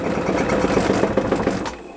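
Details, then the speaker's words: High-end wood lathe weighted with 60 kg extra, spinning a round workpiece: rough rattling shudder with uneven knocks builds as speed rises beyond about 500-530 rpm, fading when slowed; lathe lacks stability and vibrates at speed. "au delà ça saute dans to"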